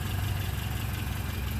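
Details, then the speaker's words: Four-cylinder engine after its first start, following fuss and a backfire: idling with oil pressure, voltage and tach signal, all four cylinders firing; steady low rumble, even beat, no skips or knocks; normal idle. "what do you know it's idling got oil pressure we got voltage I got attack signal and I think all the plugs were found because it backfired sounds like it's running all four"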